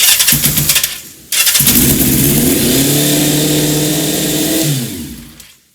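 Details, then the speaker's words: 1984 Kawasaki GPz750 after carb rebuild with new float valve seats, O-rings, new main and 37.5 pilot jets: catches on the second try, then revs up on its own to a steady high idle (under half throttle) until killed; sticking throttle cable. "Well, except for a couple of quick pucker factor moments where she wanted to rev up because of that throttle cable issue, I think we got a good successful repair here. You know, it didn't rev that high."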